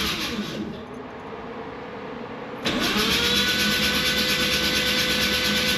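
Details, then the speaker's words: Freshly rebuilt Mazda RX7 FC 13B NA rotary, first start attempt, in neutral with clutch bypass: steady, fast cranking whir that never catches, oil pressure building to about 60 psi while battery weakens; prolonged cranking, no start. "Let me let the starter cooled down a bit, but the pressure was building up."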